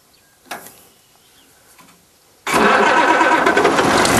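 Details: Unrestored Allis Chalmers WD-45 diesel tractor, started after holding the preheat switch a few seconds; catches then settles into steady, even diesel clatter with no odd knocks; running normally.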